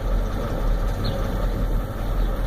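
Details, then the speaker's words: 1993 Ford F-250 7.3L IDI diesel with new injectors, o-rings and return lines, glow plugs tested, good compression, injection pump untouched and suspected; deep idle rumble with uneven, shaky beat, misses and smokes, running rough. "really shaking bad as you can see the whole cell phone I got a shake"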